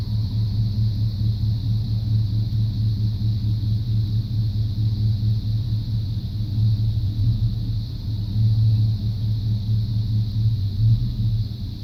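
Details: 1995 Chevrolet C1500 350 TBI V8 idle with an uneven lope and occasional stumble every couple of seconds; misfire persists after new plugs, wires, cap, rotor, EGR valve and coolant temp sensor.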